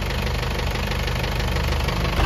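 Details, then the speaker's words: Isuzu 4BE1 diesel truck at idle: heavy steady hammer-like knock, loud at idle and fading as rpm rises; rocker arm adjustment didn't fix it, cause was worn piston pin bushings and worn crank journal. "Piston pin busing. Yung busing nito mga kayab yan yun ang ano yun ang naging problema. Malakas nawawala siya mga kaabi pag nilakasan mo 'yung RPM. Pero pag naka-menor siya mga kahi, parang siyang dinudukdok na ano, may nagdudukdok na martilyo."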